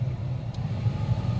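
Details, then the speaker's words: 2007 Jeep Wrangler after replacing the blower motor for intermittent operation: steady low hum with even airflow rush at low speed, no rattles, ticks or squeals; much quieter than before. "and high. Even high is it blows harder than what it did. Yeah, that sounds a lot better."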